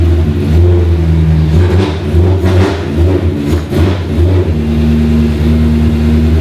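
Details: BMW E30 M3 track car with a swapped S65 V8 and DCT, first start after nearly 3 years of building, no silencer fitted: a loud, raw V8 catches, takes a few throttle blips, then settles to an even, steady idle with no misses or knocks, normal.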